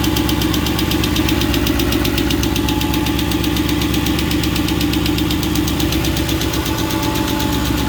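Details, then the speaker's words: Mercedes M113 5.0L V8 swapped into a Ford Capri, with an exhaust leak from unsealed pipes behind the shield. A fast, steady top-end tick of about four per second over the idle; it quieted after running and revving. Hydraulic lifters suspected, not confirmed. "Well, this thing here sounded horrific when I first turned it on. The top end sounded terrible, but running for a bit and revving it, it's quieted down, so maybe hydraulic lifters, all looking good."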